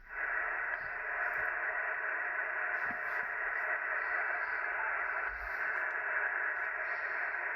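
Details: Ham radio receiver: steady rushing hiss with a faint rough buzz and no signal, possibly present on all bands. The noise is traced to RF interference radiated by a Ryobi battery charger through the building's electrical system.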